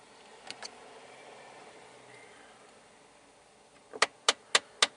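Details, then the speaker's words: A 2012 Jeep Patriot with about 126,000 miles, engine running, makes sharp, regular clicks under the dash, about three a second, whenever the recirculation door reaches the recirc position. The recirculation door actuator is faulty and is being replaced. "and whenever it gets all the way to that position it uh clicks like that"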